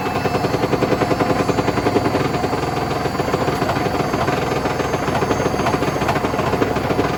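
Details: Hotpoint BHWMXL145 washer at full spin, heading for 1400 rpm, on a test spin. Heavy rhythmic thumping three or four times a second as the drum slams the tub. Two drum spider arms are snapped.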